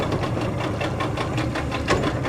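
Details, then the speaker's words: New Hangkai 40hp two-stroke outboard just after a choked start: rattly, uneven idle with lumpy, irregular beats and clatter on top, shaking and smoking; sounds like it's running on one cylinder, cause suspected, not confirmed. "All right, so she is running, and it shakes. It's definitely a rattly 2-stroke. It seems to smoke a good bit."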